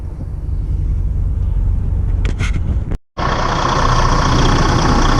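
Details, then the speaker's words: Detroit DD15 diesel just after serpentine belt replacement, started to check belt stays on: steady even idle rumble, no squeal or slap from belt drive; running smoothly. "I'm gonna start it up and make sure the belt don't come off"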